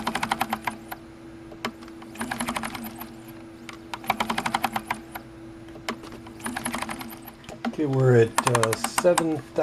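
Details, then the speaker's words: Keysight U1282A multimeter rotary function switch life-cycle test, about 2,500–4,100 cycles: bursts of dry clicks then scratchy squeak as dial drags; worn switch contacts, later jams at 8,000 cycles. "all right so we're about 2500 cycles into it you can hear a definite squeak we're currently at about 4 100 cycles"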